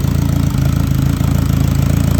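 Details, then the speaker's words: Turbo K24-swapped Subaru BRZ at first startup, misfire code gone, possibly after working through bad fuel: even, steady low idle with firm regular pulse, no misses or stumbles; engine holds idle while being checked for vacuum leaks, blow-off valve unclamped. "we are idling baby kind of looking for any additional vacuum leak in here"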